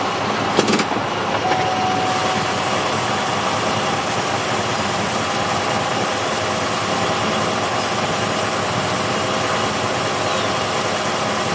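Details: Pontiac Grand Prix GXP parked in Tap Shift manual mode: steady engine hum with a faint constant tone near 800 Hz; odd noise only in manual mode, inaudible inside car, cause unknown.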